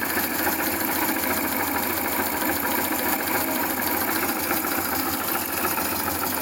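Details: FZ2 motorcycle fitted with an SRV250 engine, heard at the front cylinder's left side and later from the fuel tank: steady idle with loose irregular ticking about three per second, abnormal engine noise, cause unclear.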